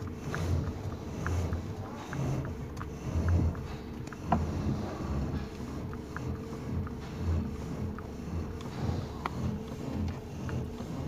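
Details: 2019 Toyota Rush with a complaint of steering knocking under the column when turning left and right: steering swung left and right over a low engine hum, with no knock from the column.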